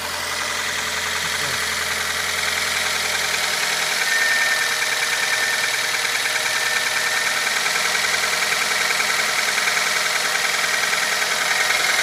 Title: стук на холодную двигатель QG18DE